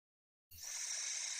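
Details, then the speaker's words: Toilet tank fill valve with lid off: silence then a constant high hiss of water that never stops even with the float fully up and tank full; fill valve failing to shut off, needs replacement. "you hear the hsing so I pull this all the way up could stop but it doesn't stop I think this valve is bad"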